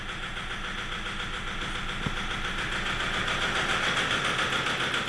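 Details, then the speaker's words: Toyota Hilux 3.0 diesel, knocking and flooding: normal at idle, then under throttle a sharp, fairly even knock builds over the clatter up to about 2500 rpm before limp mode cuts it. "Bichão castanhando. Então esse é o funcionamento todo irregular."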